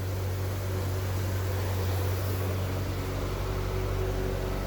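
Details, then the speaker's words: 1998 C5 Corvette back in the garage with the Sac City Coolit V2 fan controller removed after it never switched the fans on and the car nearly overheated; temp 196: steady, low whooshing hum of both radiator fans running together, no rubbing; normal. "both fans are running so i'm pretty sure that was my problem"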